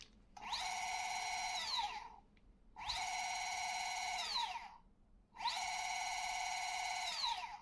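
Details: New Bafang M560RS mid-drive motor, 0 km, on the table with no load at high rpm; three spins of a high clean whine ramping up, holding steady and winding down; normal no-load motor whine.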